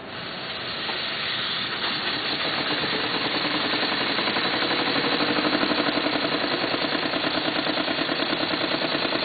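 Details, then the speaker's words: PM Research Model 3 steam engine, first run on live steam from a small homemade boiler at about 60 psi dropping to 30 (engine actually seeing roughly 15-20 psi): constant loud hiss under chuffs speeding past two a second; heavy steam leaks, mostly at the main valve. "obviously there's lots of leaks in the engine particularly in the uh main valve"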